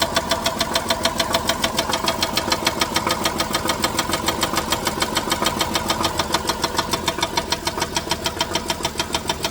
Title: 07 Grand Caravan, Engine Knock? Loose Torque Converter Bolts?